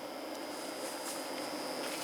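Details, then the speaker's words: Small cooling fan added to a pre-amp, run on 9 volts: steady, even airy rush with a faint constant high tone and slight hollowness, no ticking or rubbing, no louder than an amplifier; fan runs normally with good airflow, filter not yet fitted. "9 volt seems to be a perfect speed it's not extremely loud no louder than any amplifier you can hear the hollowness in it"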